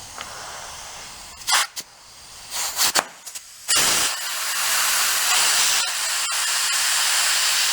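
After some handling, a loud steady hiss of escaping air carries on for seconds while filling, so the tire is leaking badly.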